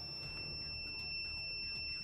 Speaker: beeping sound and that basically means that the line has continuity and the line has passed for a green light